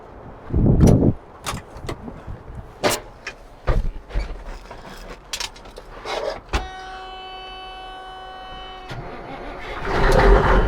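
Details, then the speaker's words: Old mechanical Caterpillar diesel in a classic truck at auction, oil checked before starting: a few clunks, short crank, then it catches cleanly with a solid roar; healthy mechanical diesel start. "yeah that's how a truck's supposed to sound good old mechanical cats you just need to turn them a little bit and away they go"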